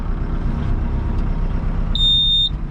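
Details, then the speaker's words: ASV loader reversing alarm: one sharp, high-pitched beep about half a second long over a low diesel rumble. The alarm works normally but is annoyingly loud. "thank you for beeping in my ears one thing I don't like about this ASV that little loud beeping thing huh pull the eardrums out"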